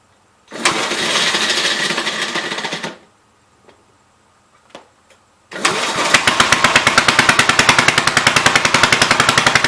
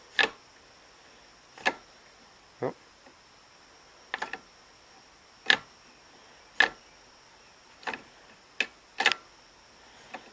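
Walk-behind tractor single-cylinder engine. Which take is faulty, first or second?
first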